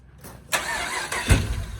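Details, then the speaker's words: Crank-no-start on a Camaro parked about eight months, running off a battery charger. The engine cranks, stumbles and briefly tries to catch, then fades without firing; the owners suspect it ran out of fuel. "because everything else is working but it just seems like it just does this little thing where it just kind of teases but doesn't give us enough power"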